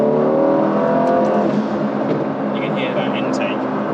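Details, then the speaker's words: Aston Martin F1 Edition Vantage V8, about 13,000 miles, modified, driven in manual mode: deep V8 pull with loud throaty intake roar swelling as throttle opens, owner notes pops and bangs on downshifts; healthy, no knocks. "Well, I hope you can, but it pops and bangs, and on the downshifts, it's just a lot of fun."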